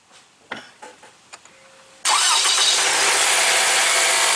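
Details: 2015 Lexus NX200t 2.0L turbo started right after an oil change with about 5.2 quarts: a few faint clicks, quick catch, then steady even idle with no knocks or misses; healthy.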